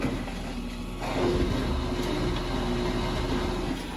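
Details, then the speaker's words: Samsung Eco Bubble WD106UHSAWQ direct-drive washer-dryer, top cover off, drying a blanket with 48 minutes left of a 2-hour timed dry. Steady low rumble with soft, uneven tumbling as the drum turns and the fan motor runs; normal. "Ó, o cesto dela rodando aqui dentro. Aqui está o motoventilador trabalhando."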